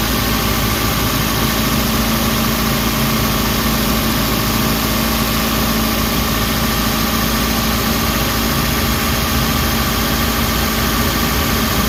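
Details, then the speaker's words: Suzuki Carry after adding an engine treatment, run under two minutes: steady, even idle with low hum, no knocking or lumpy shake; earlier vibration largely gone, engine now running smoother. "Wala na yung yung inig niya nawawala na medyo gumanda na yung under guys oh yung nginig yung inaantay ko na matanggal so ayan medyo nawala na 'yung guys ah medyo smooth naung 'yung takbo ng makina."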